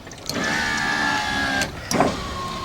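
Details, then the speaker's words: 2005 Acura power window after motor brushes were bent outward, no room to replace them: two clean runs of steady motor whine with smooth travel and a soft stop thud; window now works properly. "put it all back together and look at this now look at her working heck yeah"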